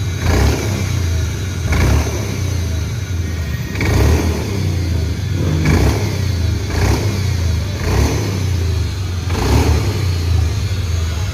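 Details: Honda Beat FI scooter, CVT unopened 4 years, before repair; repeated throttle blips each swelling into rough whirring whine from the drive belt area; later fixed by replacing the crankshaft seal.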